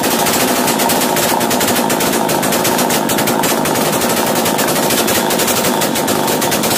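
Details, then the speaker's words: Chainsaw racing at high idle after starting, following carburettor screw tightening during a starting-problem repair: fast, sharp buzzing rattle held at high revs without settling; idle speed too high, fixed by backing off the top idle screw. "90 से start होने के बाद बहुत ज्यादा race होता है तो आपको ऊपर में एक स्क्रू दिखेगा उस इसको अगर आप फील करेंगे तो आपका जो एस्कलेटर है वह कम हो जाएगा और मशीन स्लो हो जाएगा"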